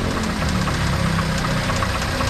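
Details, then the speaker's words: Car engine at rough idle with steady metallic knock like grinding metal inside; mechanic diagnoses rod knock from excessive clearance on one or two pistons; needs connecting rod and crankshaft regrind or replacement; driven home at only 1,500 rpm. "So para kang may ginigiling na bakal sa loob. Kasi yung piston yan, yung isa hindi na umaabot. Malaki na yung halo."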